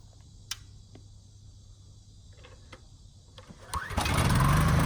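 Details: Husky generator that sat 5 years on bad fuel with a leaking tank, after carburetor cleaning and a new governor spring, outdoor test run near 61 Hz: quiet clicks, then it catches and settles into an even, steady hum with no misses or knocks. Runs healthy.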